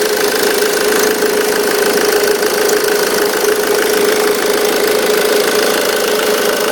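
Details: 2005 Ford Mondeo Mk3 2.0 TDCi 130 hp diesel idling: fast, uneven metallic rattle and vibration with faint whirr from the auxiliary belt tensioner; worn tensioner.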